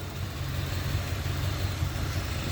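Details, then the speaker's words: 1988 or 1989 Corvette C4 (owner unsure), fuel injected, after ignition timing was set and firing order checked: low, lumpy idle with uneven stumbling pulses, still misfiring hard; owner suspects very dirty injectors. "I don't know, not really a huge difference. The thing is still misfiring like pretty hard."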